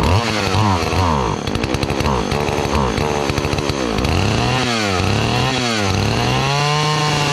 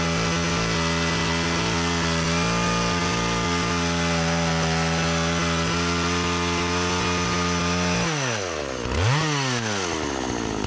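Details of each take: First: Partner 405 two-stroke chainsaw (model per description) revs surge and sag, bogging and stalling as throttle is squeezed; it runs on the choke but the more throttle, the more it chokes. Owner suspects fuel starvation or a dirty carburetor. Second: Partner 405 two-stroke chainsaw after a simple repair (it used to stall when given throttle; owner suspected fuel starvation), cutting very hard almond wood. Steady high drone sags and recovers as the cut loads it. Engine pulls fine, but the chain is very slack.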